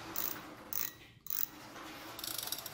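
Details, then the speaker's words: Used spinning fishing reel for sale, line roller turned: light, even ticking and whirring with no grinding or catching; line roller checked and fine. "lăn ok anh em, máy em bán em kiểm tra con lăn chuẩn hết cho anh em, 600k."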